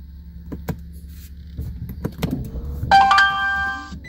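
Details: Toyota Prius Hybrid Synergy Drive with check engine and brake lights on and a suspected coolant leak: a few clicks and relay clunks, then a one-second multi-tone warning chime as READY drops out. Scanner shows P0A94, a failed DC/DC converter; P0A80 hybrid battery also referenced.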